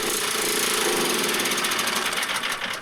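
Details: Snow blower small engine that only ran on choke, after carburetor cleaning, running at open throttle off choke: fast, even single-cylinder rattle with no stumbling; pulls strongly and sounds healthy.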